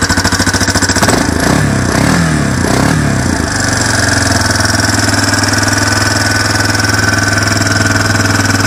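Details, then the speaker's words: Four-wheeler single-cylinder engine on original carburetor, started cold on choke in neutral: stumbles unevenly then settles into steady but lumpy idle; cold-natured, runs fine once warm, may stall as choked too briefly. "it's cold natured, and it takes a while for it to warm up, but once it warms up, it runs fine."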